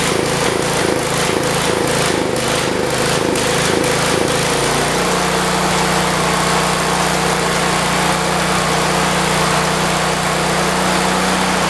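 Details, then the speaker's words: 1973 112 small engine with a swapped-in carburetor chugs unevenly and sputters into a strained drone before stalling as before; owner suspects flooding, slow idle or the points. "Shut off like it did before. Let's try starting it back up. Maybe I idled it slow. Sounds like it's flooded."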